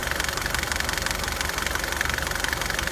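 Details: 2009 Nissan Altima at idle: loud, continuous steady ticking about four per second over a smooth idle, coming from the passenger side of the engine; cause not yet found.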